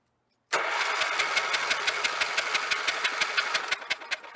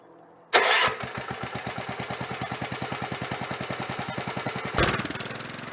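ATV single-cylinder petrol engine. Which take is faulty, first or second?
first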